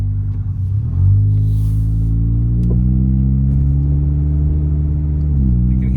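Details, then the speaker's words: 2006 Saturn Vue 2.2L inline-4 on test drive: deep, loud exhaust drone rising in pitch as engine pulls, clearly audible; finding: failed rear muffler, later replaced with direct-fit stainless muffler. "let's go ahead and take this thing for a test drive and I'll show you what we're working with here you can hear that exhaust clear as day"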